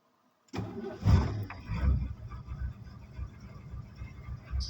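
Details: Ford van's 460 V8, primed with gas after a spark check, fires after a short crank, revs briefly, then drops to a low, steady burbling idle; normal start and idle, running like a top.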